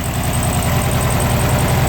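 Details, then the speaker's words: 1969 Karmann Ghia air-cooled flat-four, single-port likely 1500cc, cold start at 79° outside, engine temp 81; newer tune-up parts, carburetor apparently gone through; steady, even low chuff at idle, no knocks, ticks or misses. Normal idle. "Don't hear any unusual noises. Looks like it's got some newer tuneup parts present."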